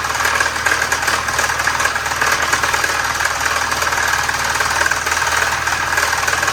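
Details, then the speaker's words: 1973 Volvo 144 with a flat-tappet cam, run on diesel oil for its zinc: rattly, clattering knock about three per second over a thin engine hum at idle; known engine knock, bottom end suspected, not confirmed. "Since we we already know it it's knocking, we're going to try to drive it back into the garage cuz cuz why not?"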